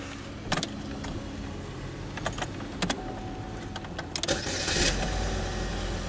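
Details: 2011 Chevy Malibu with intermittent no-crank, test light on ignition accessory wire just removed: scattered clicks and key rattle, short crank, catches into a steady low idle; normal start.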